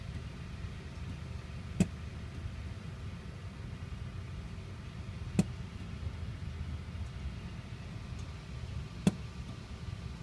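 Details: 2007 Mini Cooper S, engine off after driving: four sharp isolated bangs about every 3.5 seconds, lasting longer when hot (hot weather or drives over 15 minutes), usually 1–3 minutes ending with a long bang; owner asks if normal.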